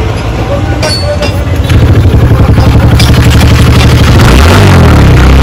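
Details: TVS Ntorq BS6 scooter after clutch-side tapping repair (bearing refitted on worn shaft, clutch cover reinstalled): ticks over smooth and even at four pulses a second with no clutch-side tapping; sounds healthy.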